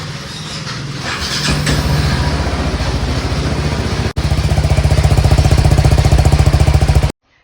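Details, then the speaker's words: Bike that shut off on self-start that morning; after the two battery terminals were removed and refitted it started on one self-start: brief starter whir, then steady even thumping single idle; normal start and idle. "Return ಹಾಕಿದ್ಮೇಲೆ ನನಗೆ ಒಂದು ಸೆಲ್ಫ್ನೇ ಗಾಡಿ start ಆಯಿತು. ನೀವೇ ನೋಡಿ."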